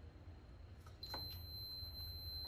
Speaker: nó kêu tít tít và trường hợp là 0.0 0.0 ôm